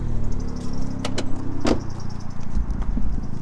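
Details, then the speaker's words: Factory exhaust on a C1 car, corroded through at centre and rear sections, snapped near the box: cold start gives a deep, uneven rumble with puffing under idle and a few clanks; exhaust blowing badly, to be replaced with OEM. "It snaps roughly where it joins the rest of the box. So let's go around to the front, start it up, and listen to this."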